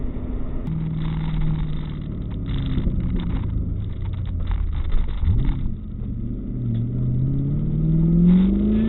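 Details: 1998 Ford Mustang GT V8 after a PI head swap with ported and polished heads, revving: deep burbling rumble climbing in pitch, then settling back; pulls cleanly and sounds healthy.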